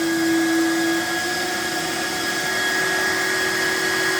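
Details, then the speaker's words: BSA PCP air compressor, first switch-on with gauge set to 200 bar and auto cut-off: steady mid-pitched whir from the small internal fan, then the bigger fan once set to AC, even tone with no rattle or scraping; cooling fans running normally, reasonably quiet. "So you turn it on, that sets the little fan inside going. Yeah, I can hear that. And then you set this one to AC, which sets the bigger fan inside going, like that."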